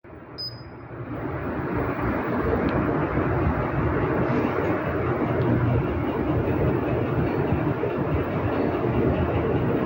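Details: Treadmill motor spins up within two seconds, then holds a loud, rough, rumbling drone, with error code E-02 shown; loud motor noise, cause unknown.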